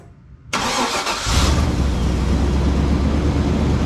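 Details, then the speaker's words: 2000 Chevrolet K2500 flatbed, 350 engine, started at idle after the exhaust leak was sealed with exhaust sealant the day before: steady deep idle rumble, no ticking or puffing at the former leak spot; exhaust sounds sealed, sealant durability uncertain. "I don't feel anything, guys and gals. I don't hear anything. Right in here is where it was, oops, hang on. Right in here is where it was all leaking. Nothing right now"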